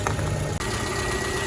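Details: 2010 Toyota RAV4 4-cylinder after alternator replacement, checking the battery light stays off: short, smooth, even idle with a light steady whine from the belt drive; runs clean.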